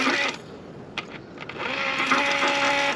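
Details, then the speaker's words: John Deere 9430 tractor that died and won't start, heard from outside with key off and engine stopped: clicks, then the low-pressure fuel pump hums on by itself. Suspected failed or shorted pump electronics. "so I'm outside the tractor now and as soon as I exited the tractor I could hear this low pressure fuel pump running with the key turned off from there if you can hear that it just came on again on its own"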